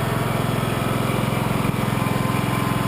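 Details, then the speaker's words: Small two-cylinder engine started cold on choke after carbon was burned off the fouled forward-cylinder spark plug with a propane torch. Steady, even putter around 160 beats a minute with no skips; both cylinders firing cleanly. "that sounds great that worked really well one minute a propane torch just clean the carbon off of this"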